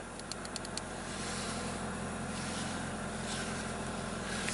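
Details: 2001 Saturn coupe, crank no-start after sitting a week, ignition harness wires taped up and battery reconnected; quiet steady idle with even low hum, no stumbles or misses; running normally.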